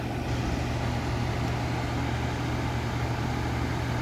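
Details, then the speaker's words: Vornado 280SS 10-inch high-velocity desk fan, mid-1990s, solid-state variable speed at full high (1.2 A, ~94 W, power factor 62-63): steady even low hum with smooth airy rush, no knocks or wobble; very powerful, normal running. "um okay so yeah very powerful as you can probably clearly tell very heavy duty fan"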